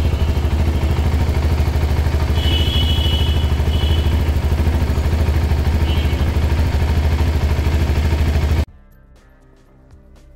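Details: CFMoto 300SR, CKD-assembled bike in Bangladesh, single-cylinder: fast sewing-machine-like metallic ticking ("jhun jhuni") from the valves with music underneath; loose, excessive valve clearance.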